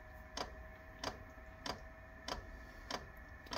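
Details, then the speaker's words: Portable diesel heater run from a motorbike battery at startup: sharp regular dosing pump ticks about every 0.6 seconds, roughly 97 a minute, over quiet background. Normal fuel pump clicking. "let's just see if this works see if she clicks we got a click but I'm not going to hold anything out until we get some heat so I'll come back in a second sounds good though doesn't"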